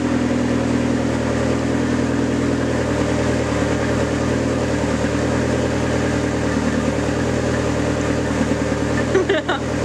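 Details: Neon SRT4 first start after a new clutch install: steady, fast, even idle with no dips or misses; normal high cold idle that should drop when warm, air/fuel ratio right, needs fresh fuel.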